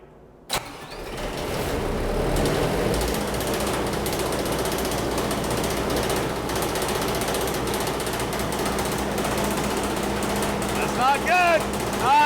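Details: Mitsubishi diesel engine from a large generator catches, then idles with a steady rumble and a faint rough tapping knock underneath; a spun bearing is suspected but not confirmed, before the engine is pulled for teardown.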